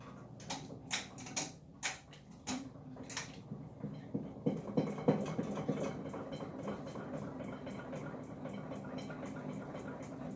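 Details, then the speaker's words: Three-blade bathroom ceiling fan running at medium speed. A few loose ticks, then a steady fast rattle about three per second as the fan's vibration shakes the ceiling. "we don't run it on medium or because it vibrates the ceiling as you can hear i love this"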